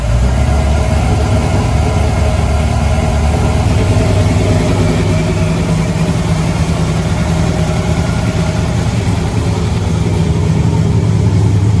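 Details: Freshly installed replacement LS1 V8, first start after the old engine threw a rod through the pan: deep, loping idle with an even choppy rhythm and no knocking or clatter; healthy engine with a big cam.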